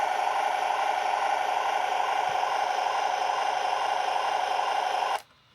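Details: Brand-new Taigen Premium V3 gearbox in an RC tank: a steady, fairly high buzz runs evenly for about five seconds, then cuts out abruptly; the cause is unknown, and the owner hopes it is not a motherboard or wiring issue.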